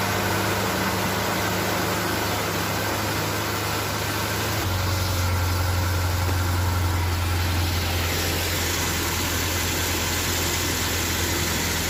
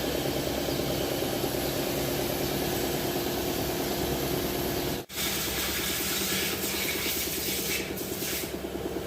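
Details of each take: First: Nissan Navarra diesel being repaired for misfire code P0304 (cylinder 4) idles with steady clatter, an even beat and no stumble or skipped firing; seems to run smoothly on all cylinders. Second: Repair of Engine Misfire code P0304.Nissan navarra.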